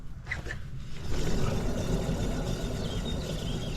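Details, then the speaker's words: Acura RSX jacked up, rear wheel spun by hand: deep, rough rumble droning with no clear ticking, unlike the other side's ceramic pad noise; worn rear wheel bearing, caused highway humming, hub to be replaced. "the bearing's gone. So, so we're going to take off the wheel, wheel wheel spacer, uh brake rotor, caliper, and then it should be just a matter of taking off the uh the main nut that holds on the hub, and then banging it off and then putting the new one on."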